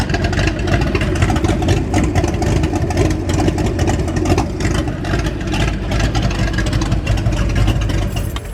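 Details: 1989 Mustang GT V8, revived after sitting over 10 years, still needing a complete fuel system: a steady, even low rumble with a smooth beat and no knocks or misses; idles cleanly, with oil pressure good and voltage still to be checked.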